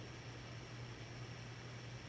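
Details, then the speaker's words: 52-inch Hunter Original ceiling fan dated April 1982, shaded-pole motor, converted to three speeds via capacitor, on medium (original low, about 120 rpm): quiet steady hum and even whoosh, no ticking, rubbing or wobble; normal running. "we'll go ahead and put it on medium which is the Fan's original low speed the original two speeds are not modified in any way it's actually rather fast"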